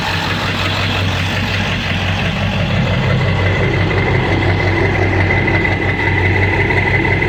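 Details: Ford 7.3 diesel in street mode after high idle: uneven idle with a dull knock recurring a few times a second, sounding like a rod knock. EGTs good, no power; cause unknown.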